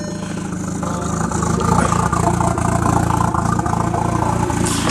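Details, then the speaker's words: Engine idling in neutral after swapping the original automatic ECU back in: a steady, fairly regular clunk about three to four a second over light lifter ticking, heard only on one side of the engine, the wheel wanting to spin; owner first feared piston slap or rod knock. "the wheel kind of wants to spin and you guys can hear that like clunking noise so I initially thought it was that piston slap"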